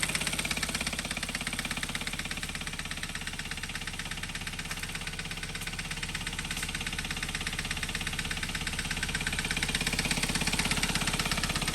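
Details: 2012 Hyundai Veloster, G4FJ 1.6 engine, manual: sharp, regular internal tapping about 167 per minute riding steadily over the idle; engine knock, owner says common on pre-2015 Velosters, considering piston and connecting rod replacement or a used engine.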